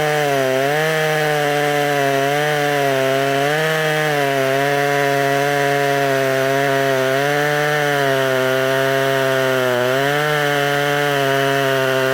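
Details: Poulan 3300 chainsaw, freshly revived, cutting wood: a high, steady, clean, crisp buzz that dips slightly and recovers as it bites. It runs well, though the owner suspects a small crank leak from excess pressure.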